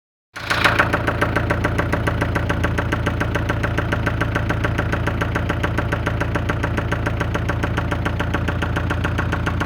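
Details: 1996 Ford Fiesta: steady idle with a sharp, regular tapping of about three to four knocks a second over the engine; engine knocking at idle, cause unclear.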